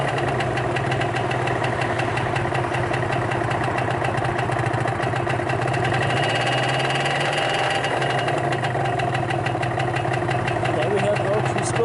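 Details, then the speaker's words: 2015 Vespa Primavera 50cc two-stroke scooter at about 600–700 km with no issues: fast, even two-stroke putter holding a steady idle with no misses or knocks; normal idle. "For 600 kilometers, or almost 700, this thing has been running absolutely perfectly fine. I had no issues with it."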